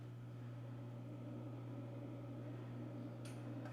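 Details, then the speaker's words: xTool P3 CO2 laser powering up after replacing a cracked water tank that leaked after about 4 hours, refilled with purified water; blower spins up with steady low hum and airy whir, bubbling, a couple normal beeps. "starting up I hear a blower the X tool is turning on I hear it bubbling all right it's turned on we got a couple beeps that's normal"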